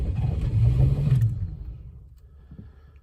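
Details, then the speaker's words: 1998 Chevrolet C1500 Silverado after coolant and oil top-up: strong starter churning about four beats a second that never catches and fades; cranks but won't start because the Smart Security immobiliser didn't recognise the key, later resynchronised. "No, the bastard won't start."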